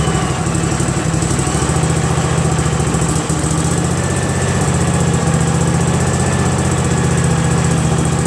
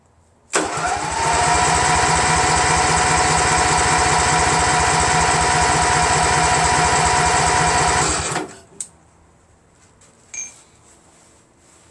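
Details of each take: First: Craftsman GT6000 garden tractor repowered with a Briggs & Stratton Vanguard 16HP horizontal-shaft engine, first start after install: a deep, steady rumble at constant speed with no misses, knocks or surging. The engine runs healthy. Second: Craftsman GT6000 garden tractor repowered with Briggs & Stratton Vanguard 16HP horizontal-shaft engine, first start attempt; about eight seconds of even starter cranking near four beats a second, never catches; crank no start, no fuel output.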